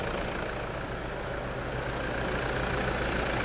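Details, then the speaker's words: 2008 Toyota Land Cruiser diesel idling after a timing belt replacement: quiet, steady idle with an even beat and no rattles, knocks or chirps; sounds and looks good, normal idle. "sounds good and then looks good"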